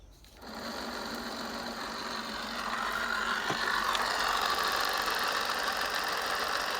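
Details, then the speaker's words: Bafang BBS02 750W 48V mid-drive e-bike motor, about 1600 miles, bench-run after cleaning and regreasing the contaminated drive-shaft bearing: busy whir with rough, fluttering rumble; bearings still need replacing. "as you can hear there's still start bearing rumbling noise which is a bit of a change but obviously that just means that there and used to be replaced"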